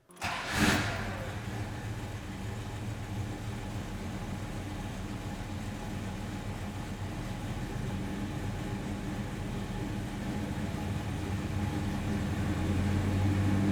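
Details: 1973 Plymouth Duster with 360 Mopar V8, aluminum intake, 833 four-speed manual and 3.55 gears. It starts at once and settles into a deep, steady, even burble with no knocks or ticks: a healthy idle.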